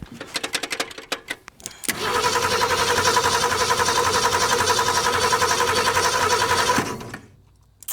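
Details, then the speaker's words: 1964 Ford Ranchero off the road since 1986, fuel tinted with transmission fluid: starter cranks at steady even rhythm about five seconds with no firing; spark found present but weak. "SOMETHING TELLS ME WE NEED MORE SPARK. Or [snorts] if maybe there's no spark."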